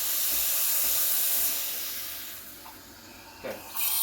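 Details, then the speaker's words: Breville Barista Express BES870 steam wand texturing milk: loud even hiss fading as the tip sinks and returning near the surface, milk spinning; the normal sound of correct air injection. "you can hear it hissing that's the noise you want to be hearing hissing means you're rejecting it spinning in a circle"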